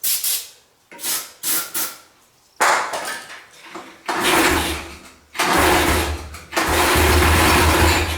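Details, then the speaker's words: 1985 Yamaha three-wheeler barn find, engine just unseized: short, sluggish cranking bursts that drag and never catch. The battery is too weak to start it. "oh my god this battery is too weak that's my issue"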